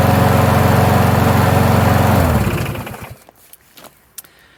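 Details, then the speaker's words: Free Toro 21-inch self-propelled mower, 190cc Briggs & Stratton engine, rough shape, previously near-seized, carburetor had been dripping: strong, even single-cylinder beat at steady speed, no misses, clean wind-down at shutoff; runs normally. "well guess that tears it all systems go"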